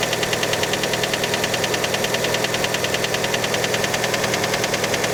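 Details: Fiat Panda engine right after a cold start: sharp, even ticking knock at roughly 200 a minute over the idle, a light metallic tap; cause unconfirmed, many suspect piston skirt.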